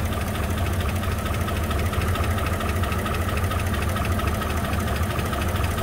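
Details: 2004 Chevy Silverado 5.3L, 225,000 miles, towed in after dying while driving: rough idle with steady light ticking about two beats a second over a low rumble; valvetrain tapping from no oil pressure, sludgy oil, blue smoke.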